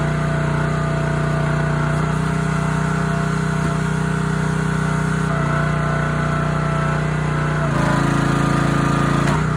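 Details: Honda GX160 on a SplitFire wood splitter after carb cleaning and oil change for bogging and stalling when splitting, test-splitting hardwood: steady single-cylinder drone at even speed, slight dip taking load, no hunting or surging; running healthy.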